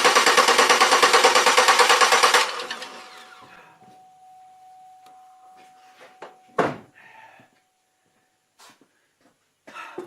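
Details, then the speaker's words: Chevrolet Malibu after its crank sensor was cleaned: about two seconds of steady cranking at roughly three beats a second, then it stops without catching. Cranks but no start; owner suspects the crank sensor, not confirmed. "not starting again I clean that out could be a crate could be a crank"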